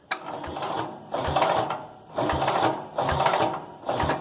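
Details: Cub Cadet 107 garden tractor with a newly installed starter-generator, cranked again after tightening the terminal and before fuel and choke: strong, even cranking pulses about every 0.8 seconds, the engine turning over freely through the belt; cranking is normal.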